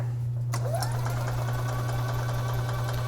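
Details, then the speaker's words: 2011 EZGO TXT gas golf cart, crank-no-start in freezing weather with wet gas; the battery sounded weak. The starter cranks the engine to prime the fuel system into a container: a steady low drone with no firing. "let's crank this engine over and get this fuel system primed it's dumped us in the container here"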